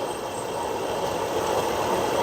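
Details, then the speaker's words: Whirlpool stacked washer test run after replacing direct-drive transmission that leaked oil from a bad seal; steady even rush of water, no knocks or gurgles; tub filling normally, no leaks. "Pressure builds up in here, sends pressure up through this hose to the pressure switch, which tells it how full to fill it."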